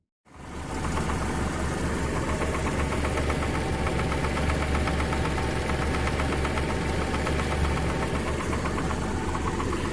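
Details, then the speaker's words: Daihatsu Zebra Espass warming up in the morning: a quick, steady, loud tappet tick about four per second over an even idle rumble. This is the engine's normal sound, not a fault. "yang mendengar suara tetes-tetes itu dari rotax ya teman-teman jadi memang keras banget bagi yang baru megang Espass barangkali agak risih begitu tapi karena saya sudah terbiasa jadi ya nggak papa dianggap biasa saja"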